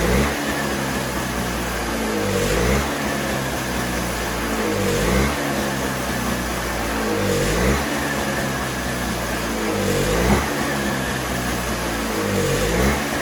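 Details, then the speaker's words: Toro CCR3000GTS snowblower (5 hp Suzuki engine) with the tank empty, run dry for summer storage: regular surging and sagging about every 2.5 seconds, a lean hunt as the carburetor runs out of fuel. "Okay, so now we want to start it up to get the remainder of the fuel that's in the carburetor out by running it through the engine. Same procedure, choke, ignition on, prime, and we're going to let it run dry."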